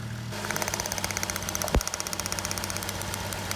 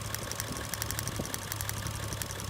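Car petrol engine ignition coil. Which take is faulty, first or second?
first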